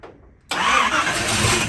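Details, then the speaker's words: Long-parked Chevy C20 in neutral on its first start after the distributor was hooked up, running on little fuel. It catches and settles into a busy, slightly uneven run with much less noise, and the timing is suspected to want more advance. "well it's making a lot less noise now looks good she wants a little more timing"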